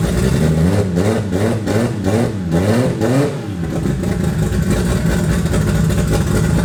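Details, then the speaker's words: Toyota 2JZ turbo six in a Holden VL Commodore, first run in eight years after wiring work; rough uneven revving with a lumpy stumbling beat, running on five cylinders; engine misfire. "it hadn't done that for like eight years which is awesome for me it was until I was on five cylinders there"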